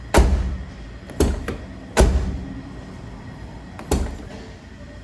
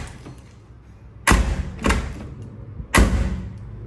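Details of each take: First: Hyundai HB20 door after a temporary fix, the latch lubricated with WD-40: several clean solid slams, no rattle or clack after; closes better, latch replacement still ideal. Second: Hyundai HB20 front door slammed three times gives a loose, hollow clunk instead of a tight click, unlike the silent rear door; door doesn't close properly, latch (fechadura) is totally loose like an old car. One fix option: replace the latch.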